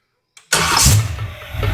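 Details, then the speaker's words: ZZ4 350 crate V8 for a 1955 Ford truck, first start with headers: brief crank catches at once into a strong, lumpy idle with no hesitation, about 55 lb oil pressure, a healthy start. "Wow. That thing fired right up, too, bro. That Z4 is ready to run."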